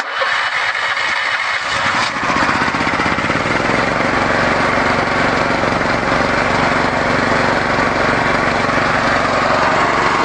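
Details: 13HP engine restarted on a Victory gasifier's wood gas after an hour's run, flare closed and mixture set a bit richer: fires after two seconds of cranking, then a steady, even chug with no misses. Normal running.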